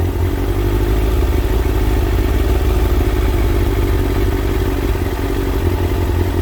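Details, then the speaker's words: Kawasaki ZX6R J2 inline-four after carb rebuild with new main jets and needle clip change, carbs just quickly balanced within tolerance: steady even idle with smooth low hum, no hunting or misses, sounds much better; normal idle. "You can already hear that the engine sounds much better, and you just need to mess about with it a little bit more."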